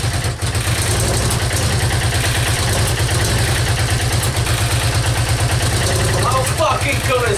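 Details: Yamaha Virago XV535 V-twin, just started on choke in cold weather after new spark plugs, cleaned carbs, new air filter and fresh petrol: steady, lumpy idle with an even beat, no knocks or misfires; normal idle.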